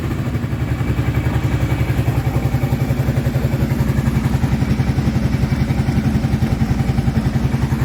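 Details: Kawasaki Prairie 650 quad ('02 or '03), just reassembled and coolant added, freshly started and warming up: even steady thumping idle about four beats a second, no rattle or clicking heard before; running clean, normal idle.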